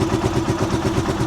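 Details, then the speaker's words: Rusi Chariot 175 single-cylinder motorcycle, cold engine just started: steady, even putter at a moderate idle speed, neither high nor low, with no hunting, misses or rattles. A normal, healthy idle. "hindi po yan mataas, hindi rin mababa yung minor. Yan. So goods na goods po yan mga ka-best friend."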